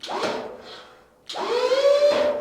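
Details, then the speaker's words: Chevy COE tilt bed, Amazon 4-quart hydraulic pump with single double-acting cylinder, lifting: pump motor whines up, drops out, restarts while bed hangs partway; down works fine, unclear if pump unloads internally or button not fully pressed. "When I hit the up arrow to go up, see how it hangs? It lifted partially and then it hung up."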